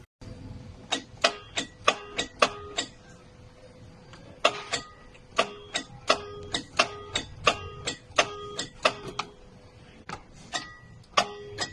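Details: Toyota Hiace Grandia starter problem: sharp dry clicks in quick bunches of two to four with short pauses, no cranking at all; clicks but no start.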